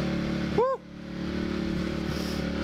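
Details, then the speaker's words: CRF250 motorbike just out of storage, choke off and warming up: a brief squeak, then a quiet, steady, even idle thump; it idles well and runs normally. "all right there we go yeah so it idles pretty well goes alright"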